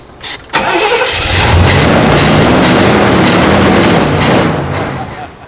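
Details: Monte Carlo SS parked 20 years, cranked on starting fluid: briefly catches into a rough rumble then fades; spark is present, engine simply starved of fuel, later fed from a fresh gas can to the fuel pump.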